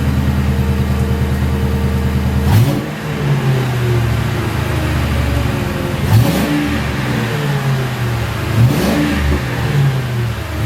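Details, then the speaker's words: 2006 Ford Crown Victoria P-71 V8 after muffler modification (internal passages bored, Helmholtz resonator defeated), parked, no load: deep idle with three clean blips, slightly louder, throatier, crisp exhaust; normal exhaust note, nothing wrong. "Well, definitely not as dramatic as slapping on a set of Magnaflows. A little louder."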